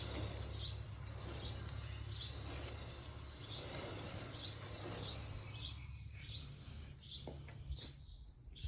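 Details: Harley-Davidson Dyna Switchback FLD pushed forward/backward with engine off: light, sharp clicks about every 0.7 seconds from a wheel bearing clogged with debris; WD40 spray cleared it, at least temporarily.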